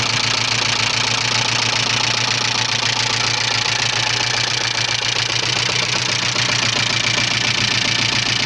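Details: 1985 Subaru Leone EA82 engine at idle: quick, fairly even knock about four beats a second over the engine hum; owner does not know what is knocking.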